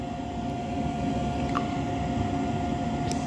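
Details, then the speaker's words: Unmaintained Trane single-stage 90% upflow propane furnace with no heat: steady low inducer hum as the pressure switch closes and the igniter runs, but the burners don't light; ignition attempt. "okay inducer running pressure switch Clos igniter is running"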